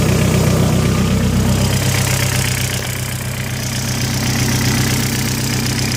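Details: 1.8T engine with IE rods, 27,000 km since rebuild: at idle a steady knock rides on the exhaust pulse, about four a second; owner asks what causes it.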